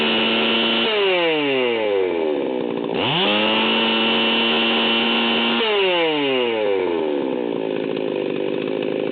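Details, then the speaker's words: 038 Magnum chainsaw at full throttle, tach reading about 14,100 rpm and bouncing. A screaming two-stroke that sags twice and recovers, with a soft blubber: high-speed needle set super rich for break-in. "you can hear that this thing is running about 14 1 and it's running super rich"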